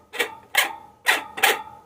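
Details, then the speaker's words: Table fan motor shaft turned by hand gives four loose knocking clicks about half a second apart; the shaft wobbles loosely, so the motor shaft bush is badly worn. "ऐसे-ऐसे loose दिखाता है इस तरह से इसका मतलब इसका बूज़ खराब है देखिए घुमाने से भी आवाज हो रहा है"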